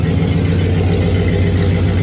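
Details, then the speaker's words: 1965 Cadillac Coupe DeVille V8 after rebuild, timing 8° advance, no exhaust fitted, spark plugs re-gapped: steady low even idle, still shaking slightly but popping gone; normal idle. "Still shaking a little bit, but no more weird popping noises. Much better."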